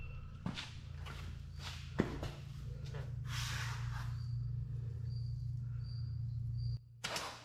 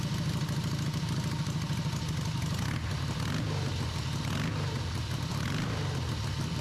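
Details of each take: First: Harley V-twin in an off-road trike build, first start attempt after the owner's own engine rebuild with exhaust just fitted. The starter cranks with a steady drone and a few loose pops but never catches. The ignition timing is off, and the valve lash is suspected; cranks but won't start. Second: Harley V-twin in an off-road trike build, first run after the owner's own engine rebuild. A loose, lumpy, deep, even thumping idle holds without stumbling or backfiring, with a carb fitted. It ran after the timing was significantly advanced; normal idle.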